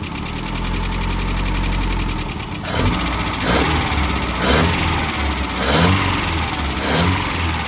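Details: 1988 Mazda B2200, carbureted, first start after 13 years abandoned, with the carburetor fitted and ignition reconnected: engine catches and revs in rough surges under a loud, raspy exhaust roar. Loud exhaust; the muffler is blamed.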